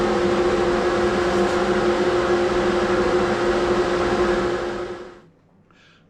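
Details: 2HP King Canada workshop dust collector after clearing a clogged inlet pipe and fitting a new one-micron filter bag: steady, even roar with a constant blower hum, no rattles or surging, then spins down; running normally.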